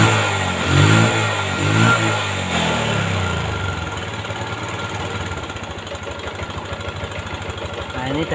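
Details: Yamaha Jupiter MX after tracing and fixing lost ignition spark (coil and regulator already replaced): a few revs rise and fall, then a steady, even small-engine beat; starts and runs normally after repair.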